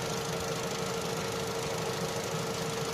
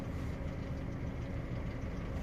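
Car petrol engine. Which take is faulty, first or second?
second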